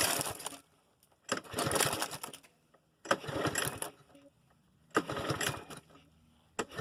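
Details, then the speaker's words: Yard-Man push mower with Briggs & Stratton 6.25 HP 190cc engine, fueled and primed, won't start: repeated pull-cord bursts about every two seconds with no firing between pulls; cranks but no start, cause not yet found, carburetor later rebuilt. "Currently the mower won't start. It has fuel in it and I went ahead and primed it. Tried to start."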